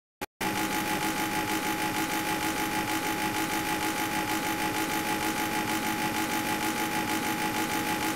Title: noisy A/C